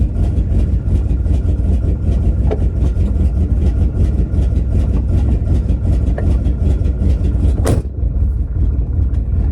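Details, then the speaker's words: 1984 Chevy C30 crew cab dually, 454 big-block with Quadrajet carburetor, cold in snow at high idle: lumpy uneven running with occasional stumbles in the beat; owner suspects bad plug wire or plugs. "It's got a hell of a mess. I think we got a bad plug wire or plugs."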